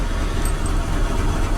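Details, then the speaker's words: 1984 K-20 truck after a battery swap: deep, heavy, labouring drone as the engine cranks slowly without firing; owner suspects a failing starter or poor wiring or ground. "i bet that starters going out or the wiring the ground's not good or something just still cranks pretty slow it's probably that starter"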